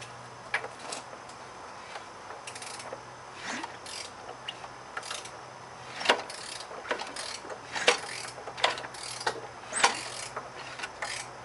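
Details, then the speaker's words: 1997 Chevy Cavalier 2.2L engine that threw a rod while idling, turned slowly by hand with a ratchet: ratchet clicks and irregular heavy metallic clunks from the loose connecting rod in the crankcase. "you can easily hear that connection rod clunking around the crankcase"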